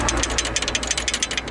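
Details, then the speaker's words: Lexus GS300 rear brake: sharp metallic clatter, about seven or eight taps a second, as loose pads knock in the caliper; rattle from missing factory anti-rattle springs, heard as a ringing knock near the rear hub. "Здесь, наверное, должны какие-то заводские пружинки стоять, но я серьезно говорю, я вот их не видел здесь ни разу."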